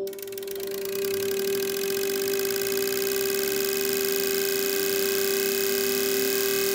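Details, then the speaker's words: Fuel injectors on an ultrasonic cleaning/analyzer bench during the accelerating test: crisp regular clicking about four a second over a steady hum; injectors spraying equal levels in each tube, judged perfect. "you can hear the vehicle accelerating all right that's exactly what's happened so far"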